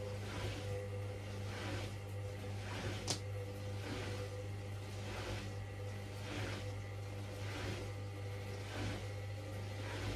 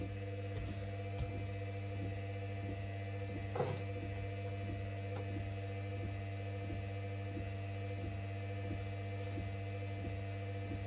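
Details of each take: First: Hoover washing machine running spin only, stepped through 300 and 400 rpm to full speed: low steady hum with a soft, slow swish and no thumping, a normal balanced spin. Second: Washing machine that hadn't run in a while, spinning at about 400 rpm: steady low hum with a faint regular tick about every half second; owner suspects motor bearings starting to go, possibly from disuse.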